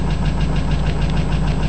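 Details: Chrysler 300M at morning cold start: fast, even light ticking over steady idle, louder on acceleration, usually gone after a few miles; car also overheats and empties radiator, oil normal, no smoke; owner suspects lifter tick or spun bearing.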